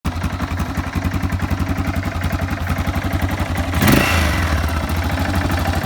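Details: Yamaha XT 600 (2KF) at idle: single thumps about four beats a second with a loose uneven clatter riding on each, brief blip; engine noise, source unclear.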